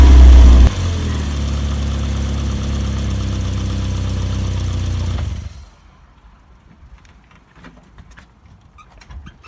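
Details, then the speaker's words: Barn-find Volvo 480ES on a replacement ECU, fuel pump primed: fires almost at the first turn of the key with a brief loud catch, then a steady, even idle until switched off; normal start and idle. "I haven't actually checked anything at all when the car started I just wanted to see if it started and it did it started almost at the first turn of the key"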